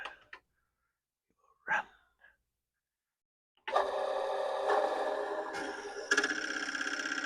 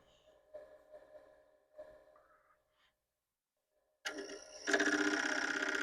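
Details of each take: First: Commodore PET 4040 dual disk drive, fitted with a replacement main board, formatting drive one with a torture disk; takes about 10 minutes warmed up before it behaves. Quiet at first, then busy mechanical chatter with head steps about four per second; formats normally. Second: Commodore PET 4040 dual disk drive with replacement main board: light ticking, pause, then loud rapid rattling about four per second, heads banging while directory stalls; cause unknown, suspects drives, boards, power supply/capacitors or cable.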